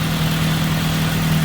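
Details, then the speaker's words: Track car after a loose oil filter leaked oil from both seams and was retightened, restarted with good oil pressure, spilled oil burning off, no significant leaks: steady even low idle hum, no knocks, ticks or misses, runs smoothly. "No significant leaks. That's all just oil on the ground from earlier. Okay. Engine sounds okay."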